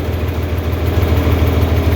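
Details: 4020 LP propane tractor idling as the vapor valve is closed, leaving it running strictly on liquid before shutdown. Low, steady thump at idle, each beat even and regular with no misfire. A smooth, healthy idle.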